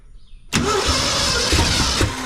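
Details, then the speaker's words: 1968 Ford F250 with freshly rebuilt 360 FE engine (timing chain, gears, oil and water pumps gone through), first start: starter whirs, engine turns over but won't catch; fuel not yet reaching the carburetor. "oh yeah we're getting gas up to it now crank up girl oh still don't have gas in the carburetor yet but it's coming"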